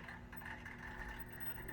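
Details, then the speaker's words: Oil-fired hot water heating system after thermostat turned up, zone valve being troubleshot: steady low hum with faint even whir, no rattle or grinding; boiler circulator pump running normally. "I hear a bunch of water flowing, but I didn't hear the furnace kick on. No, the dishwasher's on. Oh, is that what that is? You turned it up, right? Yep. There's the circulator."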